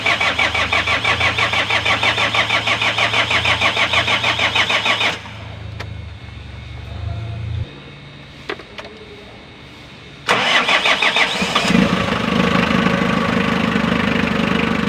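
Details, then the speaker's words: Hyundai D4BB diesel after engine rebuild, first start after bleeding injector: catches quickly, steady even idle about three beats a second, no knocking or rattle; earlier ticking and internal rattling gone; normal idle. "Wala na yung ingay, wala na yung nagitik, nagkakarambulan sa loob, no? So tahimik na siya pag normal."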